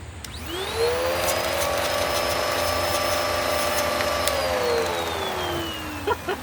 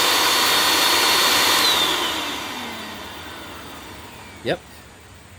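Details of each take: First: Curb-found Bissell PowerClean upright vacuum, likely 2016 model: motor winds to a high strained whine with little rushing air, then spins down; hose is clear, only a tiny bit of suction and airflow, pointing to clogged filters. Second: Curb-found Bissell PowerClean vacuum with clogged filters, suspected worn belt and possibly iffy bearings, airflow checked at the neck: a steady, airy high-pitched rush that spins down smoothly; healthy, with plenty of suction.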